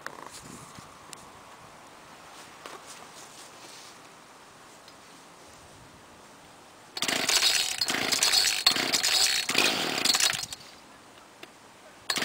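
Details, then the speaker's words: 1995 Ryobi 700R trimmer, 31cc two-stroke on 32:1 mix, started on choke: quiet, then catches and buzzes high, revving in short bursts before dropping off; starts cleanly for a 16-year-old trimmer. "you and there you go simple as that pretty good for a 16-year-old trimmer"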